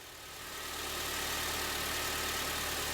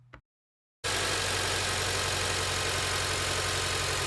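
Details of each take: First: 2006 Acura TSX, rough idle with the check engine light on, after replacing an ignition coil. A steady, even idle hum with no misses, stumbles or shaking; runs smoothly on all cylinders. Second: 2006 Acura TSX idling rough with a lumpy pulsing beat and loud hiss, check engine light on; misfire from a faulty ignition coil, fixed by replacing the coil.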